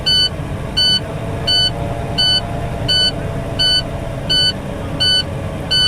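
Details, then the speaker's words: International truck, air brake inspection building from zero pressure at fast idle. The low-air warning buzzer sounds as a steady high beep pulsing about 85 times a minute, alarm noted near 75 psi. Next check: build from 85 to 100 psi within 40 seconds. "we got our alarm going off now we had 75 so between our next test is we gotta go between 85 and 100 psi within 40 seconds"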